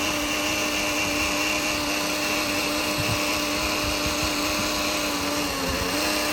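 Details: 2013 Mercedes C250, engine off: steady electric hum with thin high whine near turbo intake, persisting up to 5 minutes after shutoff; likely Bosch auxiliary water pump, sound stopped when touching top of pump.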